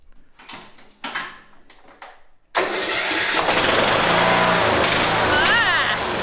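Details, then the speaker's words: Cub Cadet LTX1040 riding lawn mower, bought cheap, runs but not well, slop in steering: engine catches after a few quiet knocks and runs loud and uneven with a harsh top end; owner notes a tick, worse when warm. "ah turn that off so it runs sounds horrible yeah if you hear the engine I don't want to hear the engine it has a little bit of a tick especially when it warms up"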